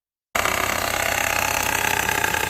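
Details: Metallic rattle from the front belt drive, worse cold and quieter and slower warm, irregular rather than rhythmic; at 1500 rpm with light throttle a metallic chatter; a new tensioner assembly made it worse, confirming the tensioner, not valve clearance, oil-pump chain tensioner or camshaft wear.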